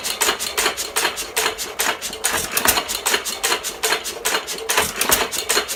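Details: 1917 Fuller and Johnson hit-and-miss engine, first run in about ten months, primed and governor free: sharp uneven firing bangs about two a second with clattering between, running steadily and well; normal running.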